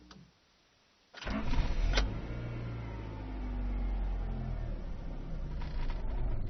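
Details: 1995 Rover 623SLi with a Honda H23A3 engine (Honda Accord CC relative): the starter cranks steadily for over five seconds but the engine never catches; the cause was the fuel pump, and the igniter and main relay were also replaced.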